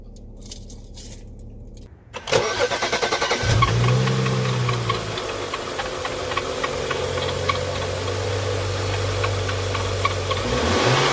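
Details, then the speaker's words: 2011 BMW 335i xDrive (E90), N55 six-cylinder, at idle before replacing accessory belts and pulleys: light chirping squeak and fine rattle; belts replaced two years earlier began squeaking once weather turned cold; worn accessory belt and pulleys. "it doesn't sound good right so i'm gonna get in there and change these belts now"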